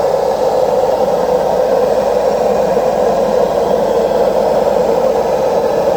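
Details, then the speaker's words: Washing machine during spin cycle: steady loud jet-turbine roar throughout, no let-up; worn drum bearings, both bearings and the seal need replacing. "Cuando ustedes se encuentren con este ruido, es el famoso turbina de avión, es porque tiene problema en los rodamientos. O sea, hay que cambiar los dos rodamientos y el retén."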